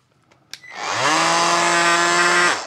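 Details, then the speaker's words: Peugeot Energyhub 18VBL cordless angle grinder, unused 2–3 years, suspected of draining batteries: spins up to a loud rasping buzz held about a second and a half; abnormal, unlike the multitool on the same base, gearing not suspected, cause unknown. "Ça m'arrache les oreilles, ce bruit. Hein. Il y a quelque chose qui ne va pas."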